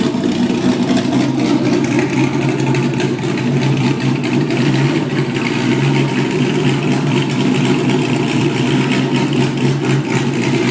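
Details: Porsche Boxster with LS3 V8 conversion, first test after removing mufflers and hex pipe system for straight pipes: loud, deep, lumpy rumble holding steady with no ticks or knocks; healthy, sounds like a muscle car.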